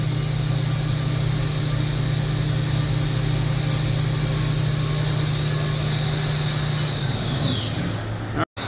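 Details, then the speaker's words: Haas VF-3B vertical machining center spindle at 8,000 rising to 9,000 RPM: clean, steady high whine with even hum underneath, no rattle or roughness, then smooth spin-down; quiet, healthy spindle. "We're at 8,000 RPM. You can hear how quiet this spindle is."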